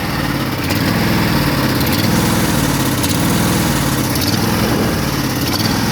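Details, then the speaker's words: Craftsman riding mower with choke on idles with an uneven, lopsided low putter and a missing beat; one cylinder is not firing, a dead-cylinder misfire. "Running the same. Actually not running that bad now. Never mind. Yeah, see, the one cylinder is not firing."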